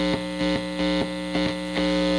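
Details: Restored and modded 1960 Airline Model 8503 tube amplifier, played through humbuckers: a steady low mains hum with a buzzy edge under the playing, quieter when the chassis is touched. Owner suspects improper chassis grounding, not confirmed.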